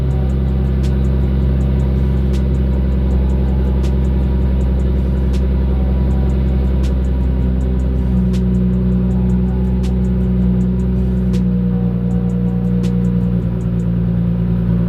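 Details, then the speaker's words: Nissan RB25 NEO engine just after the throttle plate was closed a lot more to fix its high idle: it now has a smooth, steady low idle with a faint, regular light tick. Normal idle. "Alright, so I closed it a lot in comparison to where it just was. That might have been it. So I'm gonna try to start it and see if it idles better now."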